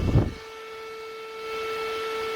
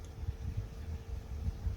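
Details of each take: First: PC cooling fan run up to about 3000 rpm: after a thump, a loud, steady, high-pitched whine with faint overtones, audible even when not pointed at the listener. High-RPM fan whine. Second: PC airflow fan rated 63.5 CFM, probably sleeve or rifle bearing, ramped from 500 to about 1000 rpm blowing at the camera; steady soft airflow hum with a faint thin whine, not very loud; normal fan running.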